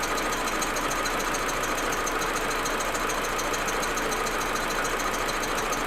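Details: Audi A4 1.8T at cold idle: uneven stuttering beat of roughly one stumble a second; smooth once warm. Plugs, coils, ignition amplifier and vacuum hoses already replaced; owner suspects injectors or carbon buildup, misfire cause unknown.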